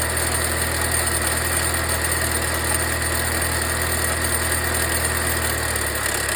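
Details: Volvo V60 B4 mild hybrid at steady idle with a light, irregular metallic rattle of about three per second from the turbo, remaining after wastegate rod replacement; a new turbo later cured it.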